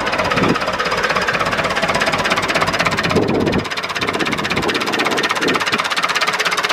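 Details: David Brown 996 diesel tractor, left sitting about 10 years, just started: even clatter at a steady idle, about three beats a second, no misses or hunting; normal idle. Throttle noted as stuck.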